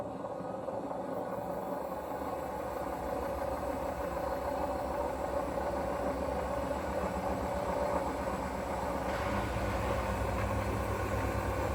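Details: Hoover washing machine, 3.5 years old, during wash or spin: deep continuous rumble with rough uneven throb about four times a second, swelling near the end; owner unsure whether bearing or motor.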